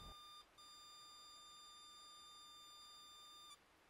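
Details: Battery-powered toy mini arcade cabinet (about 6 V) after its corroded battery contacts were sanded and resoldered. A thin, steady high-pitched tone at power-up holds for about three seconds. The squeal persists with 5.9 V at the batteries; owner suspects a crusty diode or out-of-spec capacitors.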